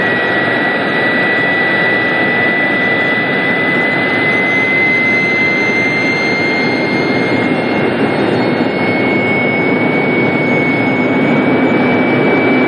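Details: Jet turbine engine being run up to maximum power in the shop before a turbine blade lock demonstration. Steady roar with a clean high whine climbing slowly as it spools up, smooth and even throughout. Normal running at power.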